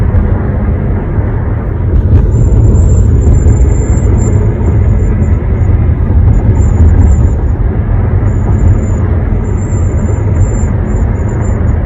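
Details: One-month-old 2021 Honda HR-V at about 60–65 mph, windows closed, moonroof tilted or opening: thin, piercing whistle coming and going above heavy road rumble; dealer calls it normal.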